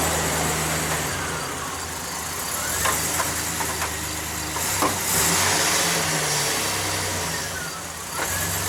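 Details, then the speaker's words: Manual-transmission truck with a stuck wheel, lug nuts left loose and truck backed up using the clutch and brakes to free it: engine ticking over with heavy, irregular clunks as the loose wheel shifts on the hub. "Sounds like it's loose. I can hear the clunking, so it sounds like it's loose."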